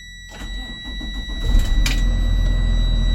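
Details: New 2024 school bus with low miles, started in neutral with parking brake set: short crank, engine catches in about a second and a half and settles into a steady low diesel idle; clean start.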